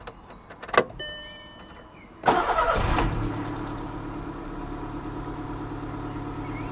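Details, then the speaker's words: VW Golf, 7461 miles, sat six to seven years on half a tank of possibly stale fuel, flat battery; first start catches at once into a smooth, even idle with no knocks or misses; sounds sweet. "well that straight away sounds as sweet as they're not"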